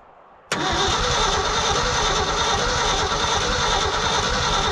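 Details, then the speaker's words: Old hybrid Ford F350 bumpside truck sat 30+ years, cold-weather start attempt with points ignition and rugged starter solenoid: fast strong cranking about three pulses a second, never catches; owner suspects no spark, unconfirmed. "oh she's cranking good give us some gas well I'm gonna but I gotta put more in it I'm not sure that it's got spark it doesn't sound like it to be honest"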